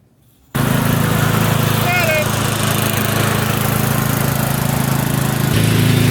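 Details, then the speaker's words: Craftsman riding mower with a Tecumseh engine leaking from an oil seal, cutting grass with the deck probably jammed from wet grass: steady, even engine drone holding speed under load, no knocks or misses; running well. "all right yeah it's running real well it's cutting a little different probably because it's all jammed underneath from yesterday cutting High wet grass but it's it's running really good"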